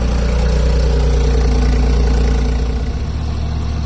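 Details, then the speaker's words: Cold-start idle of a BMW i8 three-cylinder with suspected coolant/overheating problems: throaty at first, then settling lower and quieter, smooth with no knocks or rattles; engine sounds normal despite overheating warnings when driven. "so this is a cold start so it's gonna be kind of throaty for a little bit and then it'll get a little bit quieter"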